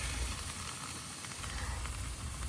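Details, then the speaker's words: Wagon forgotten for 30 years, running to circulate fluid: steady hiss and crackle over a low engine rumble as something burns; a spark plug wire touching the header is suspected to have caught fire. "Something caught on fire. What? >> Yeah. I don't know what. Well, that's not good. I think I uh lit my spark plug wire on fire. It might have been touching the header."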